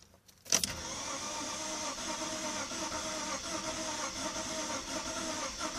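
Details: BMW E46 320i cold start after drying wet spark plugs; sharp catch, then a thin uneven idle struggling to settle: hard cold start from wet plugs.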